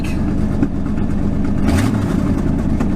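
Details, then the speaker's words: 1997 Ford F-Super Duty with 7.5 L 460 V8 at start-up: uneven, lumpy low rumble with missing beats from a pretty bad misfire, plus a slight exhaust leak. Separate complaint: no power steering; the pump is suspected. "got a pretty bad misfire too uh but"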